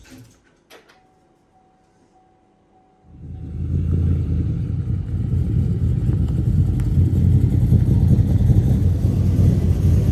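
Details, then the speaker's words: SSV engine after a CNC cylinder head swap and new 160°F (71°C) thermostat, first start-up: near quiet, then catches at about three seconds and settles into a steady, even low rumble; normal first start. "Engine is all dressed up. We're about to start it up for the first time."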